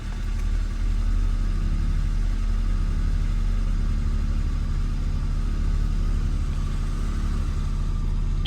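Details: Nissan Frontier idling with air conditioning on after alternator belt replacement to cure a startup squeak: steady, smooth low idle holds under AC load on the belt, no squeal or chirp; belt drive sounds healthy.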